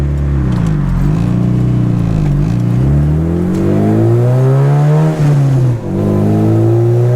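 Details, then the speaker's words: Boosted Integra after dyno tune, second-to-third upshift under boost: revs drop cleanly and climb again, no grinding or crunching between gears; normal gear shift. "It's not at all grinding between second to third. It feels really good."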